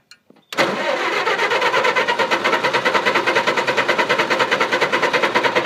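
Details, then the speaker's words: Engine that would not start; owner suspected flooding or moisture in the distributor cap and reworked wire contacts: starter spins at a quick, even rhythm several seconds, engine never fires; crank no start. "It ain't gonna get moved. What am I doing wrong? What am I doing wrong?"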